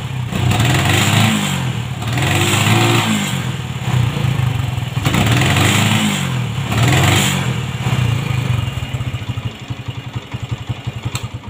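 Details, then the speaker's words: Honda MegaPro modified CB-style, kick start kicks back, dies when throttled: repeated rev bursts that stutter and fall off instead of pulling cleanly; ignition cutting out from a broken regulator wire. "nah oke untuk teman-teman kalau penyakit yang seperti ini itu biasanya di bagian pengapian ya"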